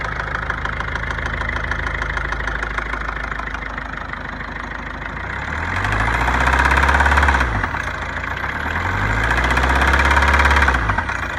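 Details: 2009 Ford Focus 1.6 diesel idling: quick regular knock, about three per second, persisting as revs rise twice; engine knock, source not pinned down.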